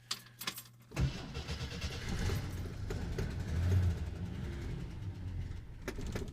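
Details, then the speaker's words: 1969 Kaiser Jeep Wagoneer, cold start with a little choke, checked out at a Jeep dealer. A brief crank, then it catches about a second in and settles into a steady low idle. Seller suspects maybe a slight exhaust leak; oil pressure and temperature good. Normal cold start. "So this was a cold start. And like I said, this thing has been checked out at a Jeep dealer, so let her warm up just a little, and she's running."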